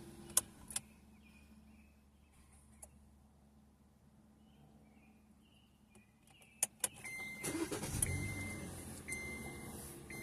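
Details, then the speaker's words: Owner's 2014 Kia Forte after fuel pump job, new pump with old filter: a few clicks, then the engine fires almost instantly and settles into steady idle, where before it took a few extra cranks; new pump and old filter run mint, normal quick start. "There we go. That's That's starting perfectly. Whereas before it's taking a second, taking a few extra cranks."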